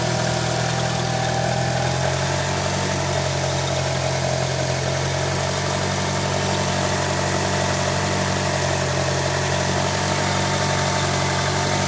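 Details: 1998 Mitsubishi Eclipse GSX at steady idle with a light, quick chirping running through it, about three times a second.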